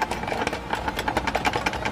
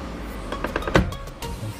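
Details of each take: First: Suzuki Splash power folding mirror whose internal latch has come loose so it won't lock: quick rattling clicks, about seven or eight a second, while the mirror motor runs; broken folding mirror latch. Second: Suzuki Splash power side mirror after repairing a detached internal latch: short motor whirrs and crisp clicks as the mirror moves and latches, no grinding or slipping; folding works like new.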